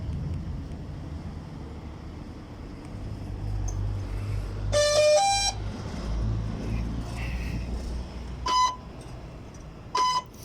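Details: Spraying drone before repair, powered on: short clusters of high ESC beeps repeat. After a recharge it began beeping, the ESCs would not turn on and it would not link to the remote. Cause not yet found.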